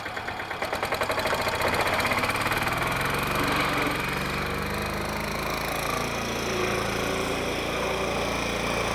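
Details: Westwood diesel ride-on mower after new drive belt, idler pulleys and broken exhaust stud repair: diesel thrum settles quickly into an even, steady run with no knocks or belt-slip squeal; drive sounds healthy.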